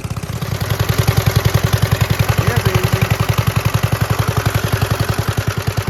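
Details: 1946 Gravely Model L single-cylinder, revived after about five years unused, started on ether with a suspected faulty carb float, in neutral at mid throttle: steady, even thump at about three and a half beats per second; running cleanly at idle.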